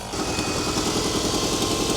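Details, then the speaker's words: Honda Civic with 60,000 mi, not run for 15 years, just started after replacing a missing ECU fuse; short idle with a slightly uneven stumbling beat, audible misfire at idle. "I can definitely hear it misfiring, but misfiring is better than no"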